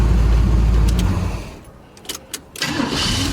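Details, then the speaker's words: 1976 GMC Sprint after sitting about 15 years, restart after test drive: shuts off, cranks briefly, catches at once and settles to smooth idle; healthy start. "Oh man, oh, so beautiful. This thing is a going to town rig, ready to just haul some stuff."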